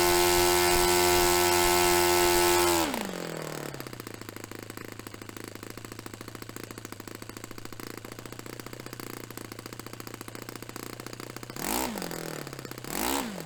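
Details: Restored Saito FA-45 Special on a test stand, 10% nitro fuel; manual gives about 10,300 peak and 2,500 idle rpm. A high steady wail drops to a slow, even idle putter with two brief blips. Normal running after tuning.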